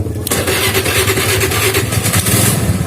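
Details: Honda Vario whose starter only clicked despite a two-month-old battery, blamed on a weak starter relay inside the CDI; after rewiring the starter circuit to bypass the CDI, a brief starter whir, then the engine catches and runs steadily.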